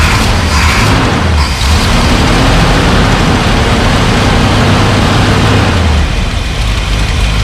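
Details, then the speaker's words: Off-road recovery tow truck V8, first start after wiring rework, several fixes and a carburetor replacement: loud idle with a slightly unsteady, wandering beat and small rev swells. Runs better than before, but the new carburetor still needs tuning. "well she's running we got some adjustments to make but it's better than it was before"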